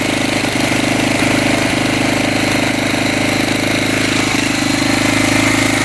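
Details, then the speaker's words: 1985 Honda XL600R single, sat for a couple years, first start after oil was put down the cylinder, 80 lb compression: steady even idle thump with no knock, still smoking heavily; owner hopes stuck rings free up. "she's idling it's a good sign lights are working still smoking pretty good"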